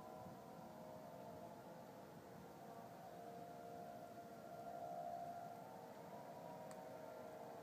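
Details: Faint, steady mid-pitched wail drifting over distant outdoor hiss in the sky over Denver, Colorado, November 2012, recurring at the same time on the same weekday. Seems man-made, with a powering-off sound at the end; source unknown.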